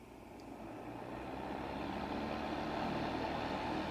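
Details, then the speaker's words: Calore 1500 W space heater after repairing a broken internal wire that left it with fan but no heat: steady airy fan whoosh that builds slightly and holds even, no rattle or scrape, now blowing heat; normal fan operation. "hear that it's blowing heat i'm going to consider this project a success"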